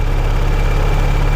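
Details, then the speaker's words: Peugeot 408 on lift, smooth even idle with steady hum, no ticking or whistling; engine noise previously mistaken for timing belt fault is gone. "passada tá olha aqui ó não tem mais ruído do motor"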